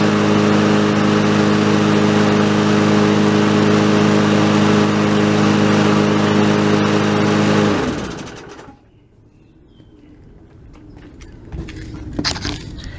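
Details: Briggs & Stratton 4.5 hp Yard Machine lawnmower after plug, air filter and oil change plus carburetor removal and cleaning of the tank area under it: small single-cylinder runs smooth and even without surging, then is switched off; previously kept nearly dying.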